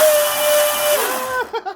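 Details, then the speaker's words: Twin-motor RC drag boat, Leopard 2860 2730 kV motors on OSE 90A ESCs, driveline oiled and drive dogs tightened: high clean whine holds steady then drops smoothly as the motors spin down, no rattle; normal running, no stuffing-tube heat. "Damn, boy, she's wanting to take off already."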